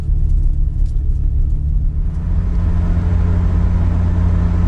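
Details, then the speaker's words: Nissan 200SX (S12) rear differential that howled at 60 mph, after swapping in a diff from a parts car: at 60 mph only a low, even road rumble with no whine or howl; the differential is now normal. "at 60 it howled before Perfection now zero noise it was sort of worth it yay"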